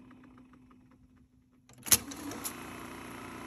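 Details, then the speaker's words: Sony SL-6200 Betamax player during repair, after replacing the fuse; soft clunk as transport engages, then steady even high whir of tape spooling back: rewind works normally, though play still fails. "rewind works that's good"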